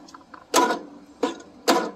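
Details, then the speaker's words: Briggs & Stratton 17.5 hp (31R977) engine on a John Deere E100 mower: starter catches and stalls on compression with three heavy clunks about a second apart, caused by a broken compression release on the camshaft exhaust lobe. "this is a very common issue this is the briggs and stratton 17 and a half horsepower uh looks like the 31r977 model so the compression release"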